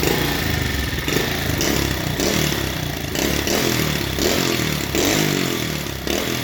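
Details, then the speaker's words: 1971 Honda CT70 motorcycle at idle after one-kick start: lumpy beat with occasional skipped pulses and some valve ticking, valves unchecked; rough idle, owner suspects it is skipping. "you can hear them valves ticking a little bit i didn't check those because i wasn't part of the deal but uh sounds like it's skipping that a little bit"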